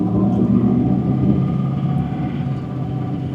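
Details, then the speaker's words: 2006 GMC Sierra 2500 LBZ Duramax diesel, Allison transmission, 470,000 miles, after replacing the turbo sensor for P003A low power: deep, steady rumble pulling evenly under load, no surging, whistling or flutter; normal turbo acceleration, good power restored. "yeah we're good to go this is all moving the way it should so I'm happy engine has good power again"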